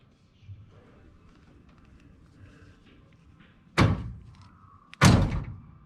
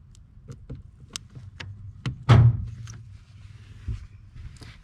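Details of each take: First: 1986 Buick Grand National, after replacing a questionable power door lock relay with a known good one, testing switch: two crisp solid clunks, lock then unlock; power locks working properly. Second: 1986 Buick Grand National after reconnecting an unplugged under-dash power door lock cable: dull lock clunks about two per second repeating with nothing pressed, both actuators cycling; suspected faulty door lock relay, switch also checked.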